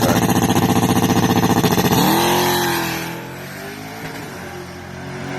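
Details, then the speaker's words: 1967 Pontiac Firebird drag car V8 on a track pass: hard revving up through the rpm, then the note drops sharply at each gear change with a pop; cause of the popping never figured out. "the popping that the gear changes, which still never quite figured that out."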